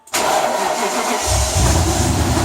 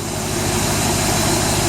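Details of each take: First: 1995 BMW E38 740i M60B40 V8, first start after replacing the timing chain tensioner without priming it with oil: loud clattery idle with busy metallic chatter as the unprimed tensioner fills with oil; it then settled and ran smoothly. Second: 1995 BMW E38 740i M60B40 V8 at first start after timing chain tensioner replacement, tensioner not pre-primed with oil: initially loud as the tensioner fills with oil, then a smooth, steady idle with no knocks or misses; normal idle.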